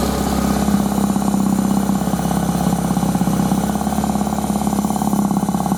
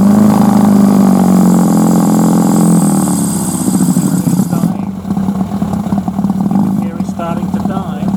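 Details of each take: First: Suzuki 1100G with Mikuni carbs, cold engine just started after sitting: steady even idle with regular low pulse and no knocks; idle sounds fine though smells a bit rich. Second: Suzuki 1100G with Mikuni carbs, warmed up a few minutes: steady idle, then on opening throttle revs sag and engine stumbles and sputters toward stalling; won't accept throttle above idle, vacuum throttle slides suspected, cause unclear.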